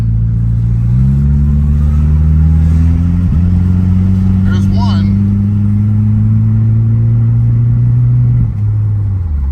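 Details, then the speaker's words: Starion/Conquest with G54B engine, fuel-screen check: engine pulls with a rising drone, then stumbles briefly mid-pull and sags near the end, pop-like hesitation recurring; owner suspects something clogged in fuel delivery, unconfirmed. "has a bit of a hesitation slash kind of a pop animal feel this is a little odd"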